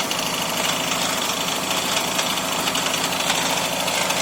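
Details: 2001 Toyota Camry petrol engine idling very roughly, with a fast, uneven jackhammer-like knocking clatter; smoking and a burning smell noted.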